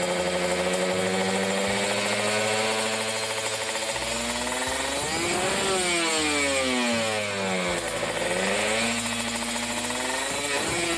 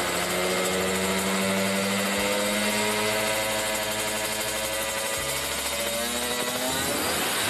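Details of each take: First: Kawasaki Ninja RR two-stroke after carburetor re-tuning, racing exhaust, no air filter: revs cleanly through 3000, 4000, 5000 to about 6000 rpm and drops back to steady idle without stumbling; normal revving. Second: Kawasaki Ninja RR two-stroke with racing exhaust during carburettor tuning (pilot jet 25, main jet 270, needle changed): buzzy revs rise slowly, briefly hold back around 7000 rpm, then climb freely through 8–10k. The earlier holdback is mostly cleared.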